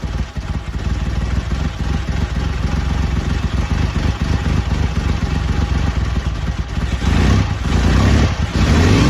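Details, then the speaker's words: BSA Rocket Three Mark 2 five-speed (A75V) after carburettor service to cure erratic running. Cold three-cylinder tickover is steady and even with a low throb and a slight blip. It was hard to start when over-choked and was fine with less choke. "there we go uh sounds good took a little to start it because I think it was over choking it so as soon as I backed off the choke a bit and give it a more bit more air it was fine"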